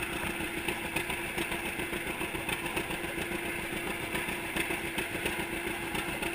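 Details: 1942 John Deere Unstyled A conversion, engine formerly stuck, on its first start after new spark plug wires (GoPro in waterproof case): even, regular two-cylinder popping at slow idle with mild clatter, no miss or knock; healthy.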